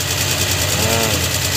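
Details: Suzuki Multicab F6A 12-valve three-cylinder engine, after the blocked carburetor fuel return line was cleared and is flowing strongly back to the tank, idles with a quick, even patter and no misses or knocks.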